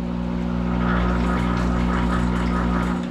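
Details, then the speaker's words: Monarch 10EE lathe with thyratron drive, vacuum tubes warmed up after sitting a month, running in reverse at 200 RPM in open belt; hand on spindle trying to stop it, steady hum deepens into a growl as speed compensation boosts armature power: normal. "well I do that you hear that growl that is speed compensation as it senses the load and a reference voltage is used and when there's a difference between uh it adds power to the uh Armature circuit to maintain SC"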